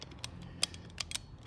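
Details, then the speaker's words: Ram ProMaster Pentastar V6 rocker arm rocked by hand: light, irregular metallic clicks, five or six in under two seconds, from play in the worn or missing needle bearings of the rocker roller; the Pentastar tick, not caused by oil or idling. "That is what causes the Pentastar tick, is that sound. What happens is there's a roller bearing under this rocker, and it has needle bearings."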